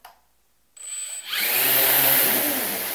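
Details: Xiaomi Midrone 4K drone after motor maintenance, started indoors once the GPS had locked satellites: after a quiet start the motors spin up into a smooth, even high whir with no ticking or scraping. Normal motor run.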